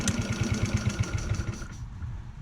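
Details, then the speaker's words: GY6 scooter with stripped, wobbling carburetor idle speed screw: engine barely starts, puffs unevenly at about nine beats a second, then fades and dies; stalling from damaged idle speed screw. "It dies down. The idle speed screw here is bad."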